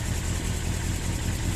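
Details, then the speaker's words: 1982 Suzuki GS650GT motorcycle, first run since delivery after failing to start earlier; low lumpy uneven engine note that won't settle; owner thinks fuel isn't really getting through; rough running. "come on i think the fuel's not really getting to it right but i've got it running i'm impressed with myself here you have it running running rough but running nonetheless"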